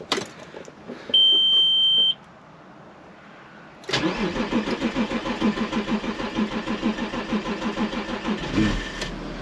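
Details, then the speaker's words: 2002 Audi A6 Avant Quattro 2.5 TDI V6 diesel, first start on a freshly charged battery: a chime, a short crank, then a lumpy, uneven clatter about three pulses a second; rough cold start, no other odd noises. "Oh, I didn't think she was going to go then. That is a rough start for sure."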